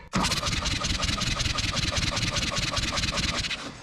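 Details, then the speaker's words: John Deere 1010 track loader diesel after an injection pump rebuild, cranking during a compression test. Even cranking beats with no firing; cylinder readings of 280, 200, 240 and 220 psi against the wanted 300 or more, so low compression prevents ignition. "280 that's not great see that's how it's supposed to work but I think you want at least 300 280 280 if you don't get enough compression you don't get enough heat and pressure to uh ignite the fuel"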